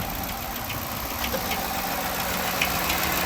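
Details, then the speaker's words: 2012 Dodge Charger ex-police car V8 at an auction, idling: light, uneven chattery ticking over the steady engine hum; a bad cam is suspected, not confirmed. "Is that a V8? Doesn't sound good. No, that does not. Can you hear it? Chattery. Yeah, it's chattery."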